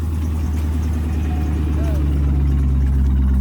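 Steady, smooth low idle with an even beat and no knocks or misses; this engine sounds healthy.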